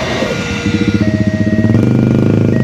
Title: SIRINE ALARM ERROR ! PERLINTASAN KERETA API UNIK LAMPU FLASHER KOTAK JPL 281 MARGA AYU